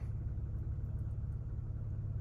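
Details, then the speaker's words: 2020 Toyota Sienna, 42K miles, starting right after a fill-up and settling into a quiet, deep, steady idle with no stumble or ticking; previously failed to start after refueling; fixed by replacing the EVAP canister purge solenoid valve, no check engine light. "yep no problem no problem whatsoever we started as normal no check engine light seems like we're good to go"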